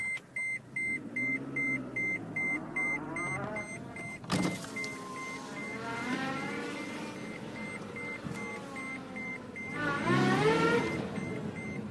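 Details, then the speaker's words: Brand-new 2016 Scion tC manual in reverse on barely any throttle: a thin whine climbing in pitch over the reverse warning beeps. Reverse gear whine, said to have been worse before the clutch broke in. "that was barely on the gas that wine gets so annoying it's a brand new car and believe it or not it was worse than that before the clutch was broken in"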